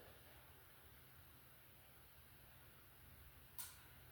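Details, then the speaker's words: Samsung 75" QN90A (QN75QN90AAF) TV with no picture, no sound and no backlight: a single sharp relay click on the power supply over a quiet hum as it cycles on and off with only the main board connected. A replacement main board fixed it. "And I hear the relay clicking on the power supply, indicating that it's cycling on and off."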